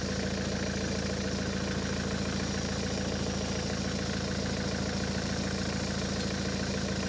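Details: Ford S-Max 2.0 TDCi diesel, 2010, about 80,000 miles, idling after a fuel filter change and priming. Even, steady diesel clatter with no stumble, hunting or misfire, no cut-out, no leaks seen: normal diesel idle.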